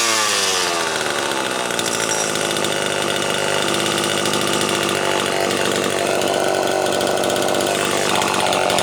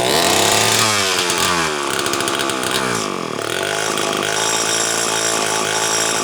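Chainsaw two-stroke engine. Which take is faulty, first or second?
second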